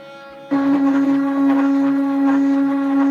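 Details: DIY CNC machine test run at 250 mm/min: X axis vibrates heavily, giving a loud steady buzzing hum, almost a musical note, throughout the motion.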